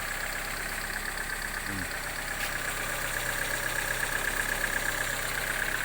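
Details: 2001 Opel Astra G that previously cranked but would not start, now working: steady even idle with a constant high whine on top and no misses or knocks; runs smoothly.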